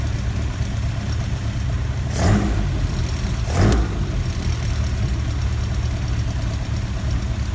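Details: Ford Kent Crossflow 711M with Dellorto carbs, just fitted with AccuSpark electronic ignition, distributor cap rotated 180°: low rough idle with two sharp coughs spitting back through the carb and light tapping; owner suspects rockers need adjusting.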